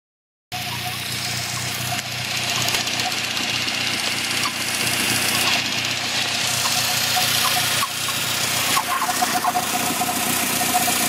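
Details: Chirping at idle appearing after 10+ minutes of driving: fast high-pitched chirp about four times a second over steady idle; owner suspects throwout bearing since it once stopped with clutch pressed, now constant and getting louder.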